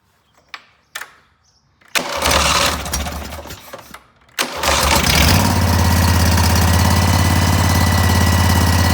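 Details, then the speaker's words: Cub Cadet tractor, twin, restarted after a carb cleaning with WD40 in the carburetor, airbox still off; a few cranking bursts, then a steady even mid-pitch run with no misses; owner very happy. "it. I'm extremely happy with that."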